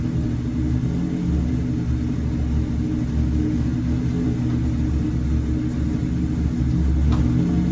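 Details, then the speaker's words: Zero-generation Civic with B20 engine swap, after working on a stalling/hesitation issue and draining coolant: low idle swells and sags unevenly, rough hunting idle; owner suspects the cooling system needs bleeding, though it no longer dies. "so idling a little funny but I think it's because it needs the cooling system bled hopefully but at least it's not dying now"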